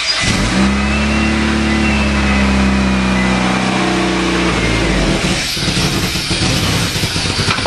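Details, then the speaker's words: Eagle Summit after head gasket work, valve cover off and PCV valve disconnected: the engine catches, revs, then drops to a steady, even idle with open top-end clatter. It runs on all cylinders, and the compression problem is fixed. "Okay. Well, it is running on L cylinders."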